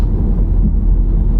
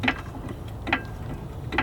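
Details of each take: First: 2016 Honda Civic after pothole damage to the front, rechecked on the road: steady low road rumble, no clunks or squeaks from the front, earlier front noise gone (likely rubber bushings quieted by water); only loose items rolling in the trunk; suspension tight. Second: 2016 Honda Civic that hit a pothole, front suspension on jack: three spaced dry creaks about 0.85 s apart as the suspension settles down; some kind of bushing problem, loose or old age.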